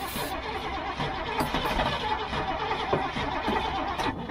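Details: Old gasoline GMC bucket truck, cranked from the cab while feathering the throttle and working the choke: the starter churns the engine at a steady pace with no catch or run-up and never fires. Fuel is visible in the fuel filter. Cranking but not starting.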